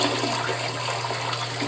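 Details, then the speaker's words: Toilet flushing and refilling: a steady, loud hiss of rushing water with a low hum underneath, a problem present for months. "When you flush it, you're gonna make this weird sound."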